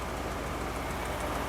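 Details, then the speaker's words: Classic car with 2100 carburetor and electronic ignition idles smooth and steady even when cold, no hunting or misses; slightly rich smelling, idle jets may be backed off; normal idle. "it doesn't look like it's idling but it is I mean you can hear it running behind me but uh that's about as flat and nice and idle as you're going to want out of a 2100 carburetor"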